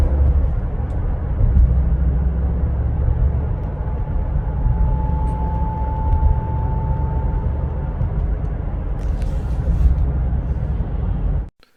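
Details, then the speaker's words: 2020 Ford Explorer, under a year old with about 12,000 miles: thin steady howl rising over road noise at 39–42 mph, gone above 42, heard from behind the front seats; driveshaft tube ringing. "recently i had a 2020 ford explorer come in with an intermittent howling noise between 39 and 42 miles an hour"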